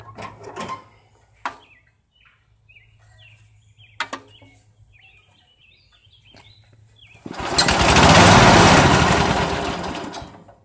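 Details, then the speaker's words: Dynamark riding mower with single-cylinder Briggs & Stratton, pull-started after sitting outside a year: catches and runs loud and uneven, stumbling; owner suspects moisture in the gas tank reaching the carburetor, rough running. "well what it sounds like is probably a little bit of moisture got in the gas tank and it's down in the carburetor"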